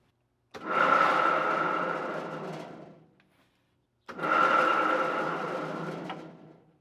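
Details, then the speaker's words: Van Norman duplex milling machine, three-phase motor on rotary phase converter, first start in years: two spin-ups with rough gritty whine then coast-down; grinding, suspected bad bearing on far side of the electric motor. "right there is the electric motor and it sounds like there's a bad bearing on this far side of the electric motor that is what's causing the grinding I believe"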